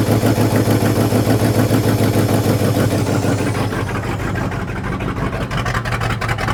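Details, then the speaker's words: Scrap-built carbureted gas dump truck, first start in a long time: loud lumpy idle with uneven loping beat about three times a second. Owner suspects ignition timing slightly off or aggressive cam; unconfirmed. "yep she's a runner and she might be a little out of time or she might just be that cammed I honestly don't know probably a little out of time"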